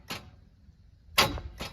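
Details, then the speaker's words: Truck on 44-inch Boggers with a blown motor, cranking: the starter turns in short uneven bursts with clunks and stalls. It kicks until a tight point, turns once more, then slows again; owner suspects a bent valve. "I think a valve's still bent. It kicked until it got to that point, turned over a whole nother time, and then slowed down again."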